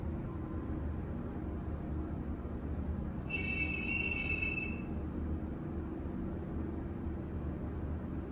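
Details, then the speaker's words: Elevator car running on an AC feed with a temporary DC supply while on service: a loud squeak of about a second and a half over the steady low rumble, heard loud from below; suspected counterweight guide shoes. "that's a pretty good squeak and when I'm on the car it sounds like it's coming from the shoes on the counter right but now I it's loud down here"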